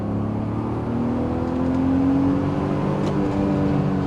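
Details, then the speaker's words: BMW Z3 3.0 straight-six, given free for repair and running fairly well despite its issues: a smooth, even engine note rising cleanly with revs, no knocks or misses, healthy through the range. "ah that straight six just sounds beautiful"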